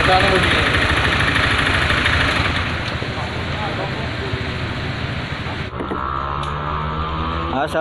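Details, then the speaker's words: Honda Scoopy 2021 scooter running very rough two days after an oil change: harsh gravelly uneven clatter about three times a second; abrasive grit had been put in the oil. "jadi Scoopy 2021 ini suaranya kasar di sama seperti di video awal ya yang kita dengarkan bersama-sama ya Suaranya sangat kasar"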